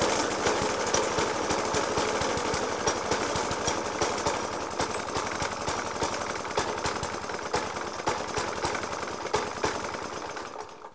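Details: Suffolk Punch 30S mower, 1991 era, Dellorto FCH 20 carb; after new spark plug, decoke and carb clean, still loud uneven bangs three or four a second over a ragged idle, fading as it runs down; cause unclear.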